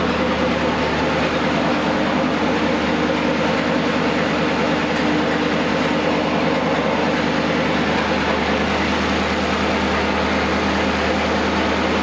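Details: Newly rebuilt 239 Flathead Ford, run-tested on an engine stand: steady, even warm idle with a smooth low drone, no knocks, ticks or rattles, no leaks; normal idle.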